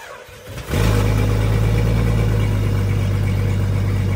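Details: 30-year-old Jeep ZJ, super cold start after sitting for days in 30s–40s°F: brief crank, then loud raspy cold idle with steady puffing; exhaust leak, holes in exhaust.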